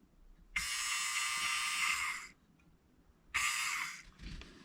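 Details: Mini Cooper F55 EGR valve actuator removed and bench-tested on a 12 V battery: two bursts of high, buzzy, rough and uneven motor whir, with play in the shaft; worn, broken actuator gear teeth, replacement valve sounds smooth.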